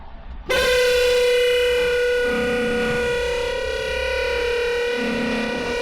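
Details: Wiper motor with wiper arms removed, bare spindle turning, gives a harsh buzzy rasping whine; noise began after heavy rain use; cause not yet known, owner suspects earlier spindle replacement.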